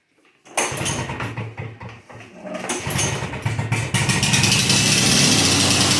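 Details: Lawn-Boy DuraForce two-stroke mower after reinstalling the rebuilt carburetor: pulls over, catches after a couple of stumbles, then settles into a crisp, steady buzz. It starts and runs cleanly.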